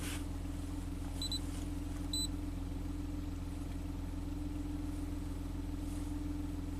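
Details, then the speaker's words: 2016 Maserati Ghibli twin turbo after timing chain replacement: a steady, even low hum at idle with a couple of faint chirps and no knocks or misses. It idles smoothly, with no trouble codes and the alternator charging. "Look at that. 11 and 11. It's running super smooth. That's good."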